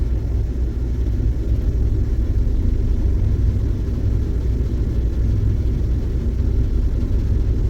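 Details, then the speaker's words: 2013 Ford E150 van, brake-standing in gear, with cylinder 1 showing no contribution on the scanner: a deep loaded V8 rumble with a shaky, uneven pulse. Misfire caused by a melted spark plug. "it shows it's coming up but this thing is shaking like crazy so it's still misfiring"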